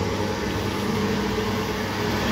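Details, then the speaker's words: Old lathe after removing a part and lowering the motor to tighten the belts (slightly unequal lengths, one a bit loose): steady even whir, no slapping or squeal, much quieter; normal running. "Yeah. Much quieter."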